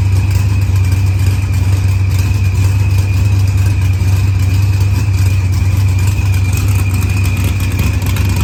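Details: Green Challenger with a supercharged LS swap, idling after head gasket and fuel pressure sensor repairs, firmware update and a fuel trim. Deep steady V8 rumble with light throttle blips, smooth and even; healthy.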